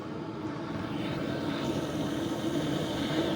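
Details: BougeRV portable diesel heater about 8 minutes into running, blowing hot: steady, even blower rush with a smooth low burner roar and no surging or rattles. Running normally at full heat.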